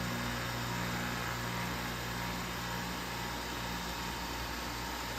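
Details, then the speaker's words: Belt sander induction motor on a Variac, voltage dropped to about half and brought back up. Steady hum holds constant pitch with no speed change, because frequency, not voltage, controls induction motor speed: runs normally at reduced voltage. "There, I'm bringing it up again, no increase in speed. And that's because it's not the voltage that controls a induction motor, it's the hertz or the frequency."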